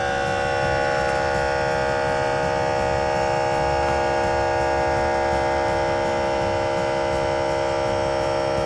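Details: Air Lift WirelessOne onboard compressor on a 2023 Ford F350 with a heavy trailer loaded, inflating LoadLifter 5000 Ultimate air bags to 50 psi: steady, even electric drone with a fine buzz, no surging; normal compressor operation.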